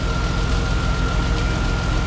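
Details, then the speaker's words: E36 M3 drift car S52 petrol six, high mileage, first start since taking ownership with instant oil pressure: smooth even low rumble and steady beat, running normally; lifter tick noted. "it sounds so good it is running great is it not"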